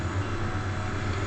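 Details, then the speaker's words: Table fan after repair; its regulator had clicked and the fan then stopped. Now wired directly to mains supply, it speeds up gradually to full speed with a smooth, even low hum and steady rumble, no ticking or scraping; healthy. "Main supply में देखिए fan जो हमारा धीरे-धीरे बहुत तेजी से चल रहा है"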